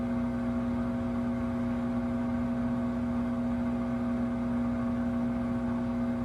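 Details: Five-month-old Samsung 2023 WW25B6900AW/A2 front-load washer buzzing since the first month at about 70 dB, louder when draining with no water to drain; loud steady buzz with fixed pitch and even level, cause unclear.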